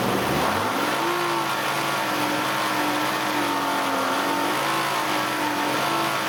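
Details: Nissan Elgrand E51 (ME51, 2008, 2.5L, about 90,000 km) held at steady mid revs with a wavering tone, only with the AC compressor engaged. The noise starts around 2000–2500 rpm, has lasted about 3 years and is absent without the compressor; its source is not identified.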